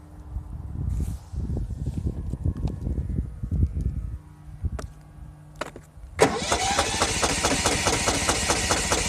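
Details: Lawn mower: uneven pull-cord cranking bursts for several seconds, then a brief rough sputter, but the engine never settles into a steady run; cranks, won't start.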